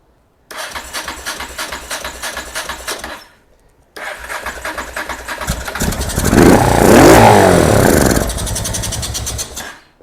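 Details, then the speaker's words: Honda NTV650 motorcycle, first start after sitting 15 years: two bursts of fast starter churning, the second catches and rises about two seconds then dies; owner suspects it isn't drawing fuel. "Everything sounds lovely, other than the fact that we got no fuel. This is trying, God love it, it is trying."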